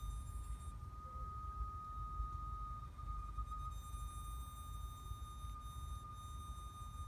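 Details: 2015 Acura TLX 2.4 just shut off and parked in a garage: a steady, thin, high-pitched hum from the engine bay over a quiet low rumble; source unclear.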